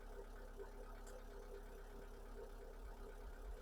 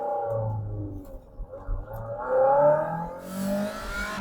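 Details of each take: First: MG TF rough, hesitating idle before repair: low, uneven idle with stumbles and lumpy firing; fault code bank 1 sensor 1, O2 sensor stuck around 1.1 V instead of oscillating, confirmed dead and to be replaced. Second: MG TF, warmed up 45 minutes, road test after new O2 sensor and fuel filter fixed rough running and hesitation: engine pulls smoothly up to about 6,500–7,000 rpm under load with road and wind rush, no hesitation.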